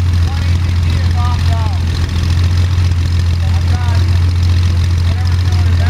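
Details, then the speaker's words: First start of Jabiru 3300 six-cylinder in plans-built Sonex with Rotec TBI, 50 hours on engine, mixture full rich, oil pressure 42, charging: deep steady low drone with even beat, no knocks, misses or rattles; sounded really good, normal idle. "so that's I'm glad you noticed that sounded really good yeah sounded really good"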